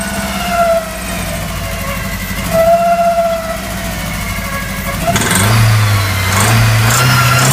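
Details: VW Golf 1 engine with head gasket blown between two cylinders: uneven, chuffing idle that stumbles and misses as it revs, with a hollow puffing beat.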